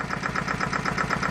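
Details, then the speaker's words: Farymann A40 small diesel engine on a test bench at first start after overhaul; crisp, even ticking at about eight beats a second with no misses or knocks, idling nicely. "listen to that baby run eh isn't that sweet the thing of beauty just like all good Fairman should be idles nicely"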